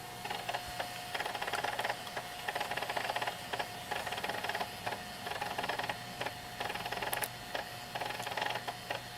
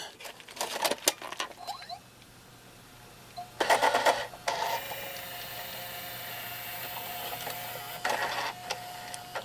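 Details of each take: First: JVC VHS-C camcorder recording after refitting the take-up belt that had slipped off its pulley and was eating tapes: quiet uneven clicking and whirring gear noise, about a click per second, yet it records with no errors; cause of noise unknown. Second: JVC VHS-C camcorder after refitting the take-up belt that had slipped off its pulley and caused it to eat tapes; clicks as tape loads, then steady motor whir with some gear noise, recording without errors: normal tape transport operation.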